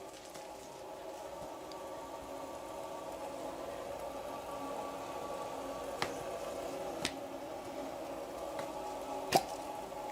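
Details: Electric water heater after the thermostats were tested and rewired, the high limit had tripped before, breaker on: soft, steady sizzle, faint bubbling and light ticks as the water warms, the element heating normally.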